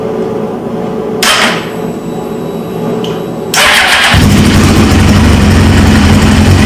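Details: 1999 Suzuki GSX-R 750, newly installed used engine, first start after fuel pump pressurizes: short starter whirr, second crank, catches into steady even idle with no misses; healthy start, though a fuel leak from the tank appears afterwards.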